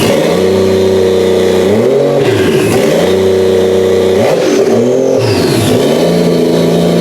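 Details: Toyota 1JZ engine for a 350z swap, running on a tire in a cherry picker after first start on a new ECU; revved and settling back several times, pitch rising and falling cleanly, no knocks or misses; healthy running engine.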